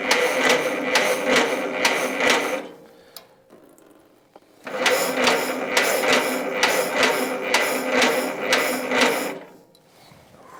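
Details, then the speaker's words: 1943 Case SC tractor, sat for years, start attempt after restoring spark on all four cylinders, transmission in neutral, fuel running over (needle and seat suspected not seating): two bursts of even cranking, nearly catching but never firing; cranks but won't start. "that's the closest we've come so far all right let's give it another shot"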